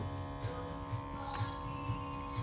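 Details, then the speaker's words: Bartesian cocktail machine, rarely used and kept clean, during a rinse cycle: steady motor hum with soft thumps about twice a second but no water sound; the pump runs but no water flows. "Nothing. I can hear the Moto running, but nothing is happening."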